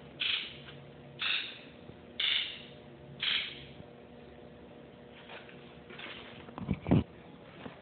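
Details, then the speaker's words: 1997 Ford F-250 Powerstroke with 170,000 miles on the original injectors, buzz test run with a Snap-on Modis. Four crisp, even buzzes about a second apart; each injector answers cleanly, a good test, though the o-rings are going bad and leaking. "i'm going to do a injector buzz test on it i'll show you what a good test should sound like"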